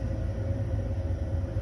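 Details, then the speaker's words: Baxi Combi 133 HE Plus combi boiler after replacing the faulty PCB (board fault): fan running, fired up, no red light; low even rumble with steady hum, no cutting out or rattles, running normally. "so we've turned it on now i can hear the fan running so now it's fired up and no red light so it's running as normal and it was the pcb"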